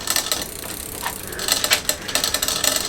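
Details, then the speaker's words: Bicycle drivetrain after loosening a tight chain link: light metallic clicks and rattles in bursts as the cranks turn over the freewheel buzz. The drivetrain rattles and needs adjustment. "bit of a rattle from there don't think we going to be some adjustments"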